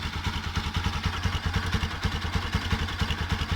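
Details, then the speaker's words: Bajaj Pulsar NS200 motorcycle idling after the stator, which caused the engine noise, was fixed: steady, even low thump with no knocking or grinding. "el punto es que está arreglada la moto y era el estator ahora ya no hace más ruido"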